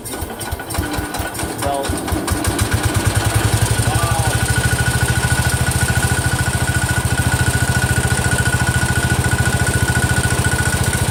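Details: Freshly rebuilt Kohler single-cylinder engine in a Cub Cadet 102, cold first start, idling with a fast even tick, three or four a second, locked to the engine; the front pulley is coming apart, not the rod.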